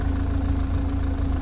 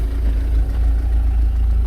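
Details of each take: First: MG TF after restoration, idling about 15 minutes and almost up to temperature, no engine warning light: smooth exhaust note with a low busy metallic rattle underneath, source unknown; mechanical rattle at idle. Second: Warm idle on an MG TF after about 15 minutes ticking over, oil moving up to temperature; no engine warning light, manifold smoke gone, steady even smooth idle with no misses or knocks; normal warm idle.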